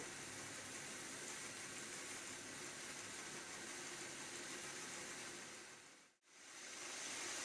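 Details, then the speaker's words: Hornby Class 31 model diesel locomotive on a rolling road at higher speed, after removing the fan assembly: a smooth, even high whir with no squeal. The high-pitched squeal is gone and it runs cleanly. "no sign that is squeal at all that's it completely gone it's running really really nicely really smoothly"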